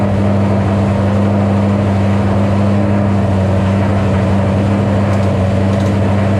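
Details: 2007 Shelby GT500 supercharged V8 after L&M NSR cam install, first start on initial Venomous Tuning tune: steady, even drone sitting well above normal idle; tune revision later brought the idle down. High idle on initial tune.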